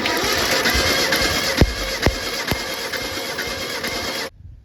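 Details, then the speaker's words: Mitsubishi Pajero 4G54, plugs out for compression test: starter spins at an even, fast whirr with no uneven beat; cylinder 1 read 120, checking for a low cylinder, compression sounds balanced across all four. "We're just checking for a cylinder that's a lot lower than the others. Obviously this old beat up piece of crap isn't going to have perfect compression anyway."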